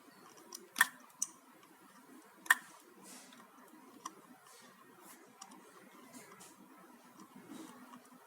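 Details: HP notebook making continuous faint, sharp clicks from inside every second or two, unevenly spaced, on a quiet background, for the past few days; cause unclear.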